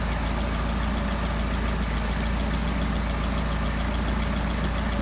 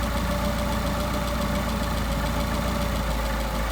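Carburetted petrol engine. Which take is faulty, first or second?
second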